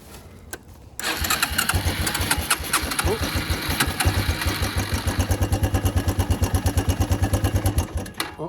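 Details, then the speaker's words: Suzuki Quad Runner LT160 ATV, running on brake cleaner sprayed into the air intake: catches, fires in an uneven stumbling beat about seven seconds, then quits; fuel in the tank but owner suspects none reaching the engine, needs a carburetor clean. "all right, it ran. Okay. All right, it runs. The next step here, I think, is going to be clean the carburetor, so we have fuel. don't think we have any fuel getting to it."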